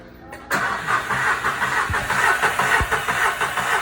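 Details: VW Fox with P0303 misfire and new coils fitted elsewhere: starter cranking with an uneven chug, one soft missing beat every cycle; compression waveform shows one cylinder with low compression, likely an intake valve.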